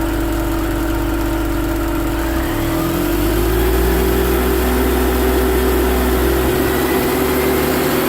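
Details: BMW Mini Cooper R53 with refitted supercharger, revving: steady whirring wurr, the same across all rev ranges; cause was a collapsed oil tube from the rocker cover to the supercharger.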